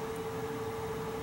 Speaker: noise it's called a singing return air vent the vent has two high velocity it's making turbulence and these things are ringing